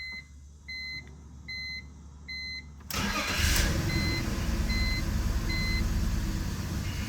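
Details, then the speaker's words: BMW E46 inline-six, after CCV vacuum-leak repair and clearing codes P0301–P0306: chimes, then cranks and catches into an uneven, lumpy idle that never settles; cylinders 1 and 6 still misfiring, later traced to two bad coil packs. "ah it's bad I'm going to look into this all right well good news and bad news bad news is that the rough Idol is still there we had we eliminated five misfire codes though so we're down to 301 and 306 so the first and sixth cylinder are misfiring"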